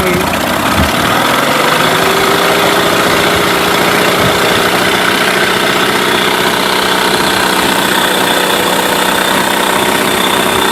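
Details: Mercury 8HP outboard, sat unused for an unknown time, running in a water tub on its first test start and pumping water clear; a loud, steady drone with a short rising note early on, holding even speed; normal running.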